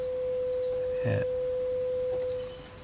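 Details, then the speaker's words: Audio amplifier (old unit with 2N3055 output transistors and C-core transformer) fed a signal-generator sine of roughly 500 Hz to 1 kHz: steady pure single tone without buzz, crackle or distortion; clean sine output. "So there we have just a sine wave, which must be around that 500 odd hertz that we've got showing here."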